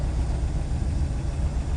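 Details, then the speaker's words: 1967 Lincoln V8 just after a completely new exhaust system was finished: a low, soft, even burble at idle with no ticks, knocks or exhaust-leak puffs, notably quiet. Normal idle. "oh my gosh I can't believe how quiet it is can you hear"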